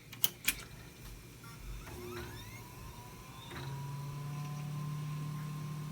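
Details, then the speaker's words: Acer Veriton M264 desktop with Intel Celeron dual core, which earlier would not boot; fixed by reconnecting the power supply, likely a loose connection. A few clicks and a rising whir, then a steady, even fan hum. Normal boot. "as you can hear, it boots up perfectly fine, and there it be."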